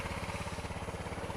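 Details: Honda CRF250L with EJK fuel controller, just started cold: quick even single-cylinder putter about twelve beats a second, no knock; normal idle, intermittent knock only occurs in first five minutes of riding.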